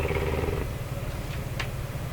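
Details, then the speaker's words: Korting German console tube radio receiver, first power-up as found with around 100 volts: fast, steady putt-putt motorboating rumble from the speaker at low volume setting that goes away when volume is turned up high; cause not yet found. "ooh there's a motorboating going on when I have the volume rated at the bottom turn it up real high it's it's goes away"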